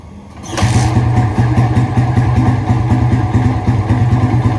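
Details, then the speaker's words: Yamaha Vixion motorcycle after repeated valve clearance adjustment, radiator fan wired always on: starts quickly, settles into steady, even idle with smooth pulsing beat and no valve tick; healthy. "bunyinya sekarang seperti ini Alhamdulillah terus seperti ini bunyinya udah ada bunyi keriting lagi"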